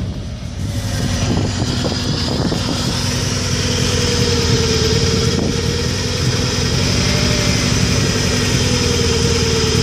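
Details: 1994 Subaru Impreza engine misfiring, uneven stumbling beat at idle and when revved with rhythm dropping out; owner suspects coil pack or MAF, cause not confirmed.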